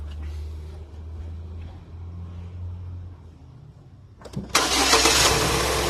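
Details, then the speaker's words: Holden Cruze idling with a dead-miss misfire, uneven lumpy beat and shaking engine; common ignition coil failure being diagnosed. "you can hear the engine not happy you can see this engine is very shaky definitely got a misfire"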